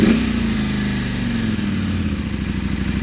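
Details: KTM 790 Adventure with recurring starting trouble despite a new MAP sensor, Boosterplug removed, fuel-prime wait skipped: it settles into a lumpy, uneven idle with a soft pulsing beat after a hard start; cause unknown.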